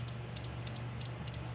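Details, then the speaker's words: Starter relay bench click test, positive on pin 85, negative on 86: crisp paired clicks, about three sets a second, as power is tapped on and off; relay pulls in cleanly, normal relay click. "all right so I've got positive hooked up to 85 and you can use 86 either way it doesn't matter and I'm just going to do a little click test"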